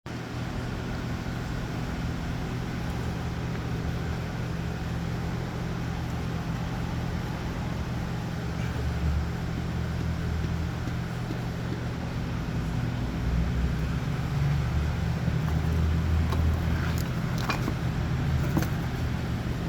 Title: Bad bearing surfaces. www.goding.com